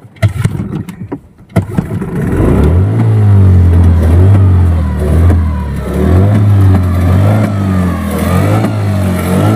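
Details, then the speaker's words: Yamaha 15 hp outboard, hard to start and weak, brought back for repair: after a pull start it sputters with revs surging and sagging, dying when throttled; cause found to be stuck piston rings and a dirty exhaust. "sekarang kita langsung saja tes mesinnya, lalu kita dengar apakah mesin ini bunyi brebet kemudian tidak bisa naik gas, karena mesin ini dibawa tuannya sama saya lagi untuk diperbaiki."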